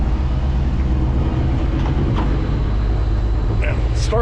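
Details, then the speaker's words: 1954 Ford F100 with new front springs, about 30 miles on the odometer since build: deep, even low rumble at idle with no misses, knocks or ticks; healthy idle. "nice, sounds good."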